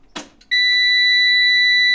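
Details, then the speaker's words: School bus (skoolie) instrument-cluster buzzer, the only one kept: a loud, continuous high-pitched tone starting abruptly, the low-air warning that tank pressure is below minimum (thought to be 50 psi), heard before it is made quieter. "So it's the alarm for the air tanks not being at the proper pressure or above the minimum pressure, which I think is 50 psi."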